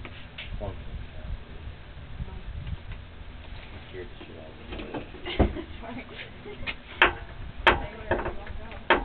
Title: clunk sound from steering